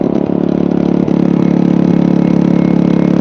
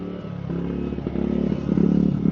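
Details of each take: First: Generator charging through a replacement Sungold 3000W inverter charger, with the charger set to 15 amps. A steady drone abruptly drops and turns uneven and choppy as an overload fault trips. The charge current is being cut to 10 amps. Generator overload trip. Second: Generator charging through a replacement Sungold 3000W inverter charger, with the charge current cut to 10 amps after overload faults. A steady low drone with faint clatter firms up and grows louder as the charging load comes on. Running stable under load.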